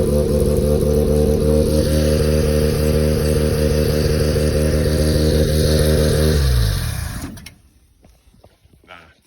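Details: Mazda rotary engine in a trike, water leak suspected at the manifold gasket, earlier smoky: even, steady rotary buzz with smooth regular pulse, holding speed cleanly before shut-off and wind-down; fires up and runs healthy.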